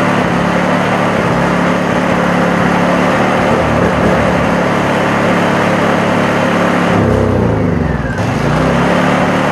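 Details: Honda EU2000 inverter generator after the carburetor jet repair: steady, even engine drone with no hunting or surging; running much better, though it may have a few other issues.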